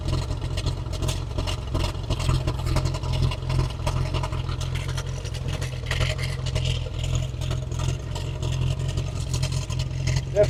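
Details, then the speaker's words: 1915 Scripps-Booth Vitesse V8 race car, about 100 miles on the rebuilt engine, just crank-started before tuning the Zenith updraft carb: a lumpy, uneven low idle with a chuffing exhaust beat and black smoke; CO about 7.5–8%, very rich mixture. "jumping up of course really rich yep uh we're seeing a little black smoke coming out too so that's extremely rich"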